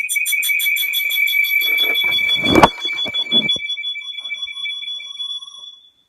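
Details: Computer making weird noises: rapid trilling electronic beeps about three a second, with a knock partway through, fading after a few seconds; source and cause unknown.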